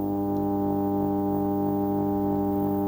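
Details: Ferguson TX90 TV/monitor before repair: a steady loud low-pitched buzzing hum, unchangeable by the volume control, with a hum bar on screen. The 12 V regulator was outputting 16 V; replacing it removed the hum.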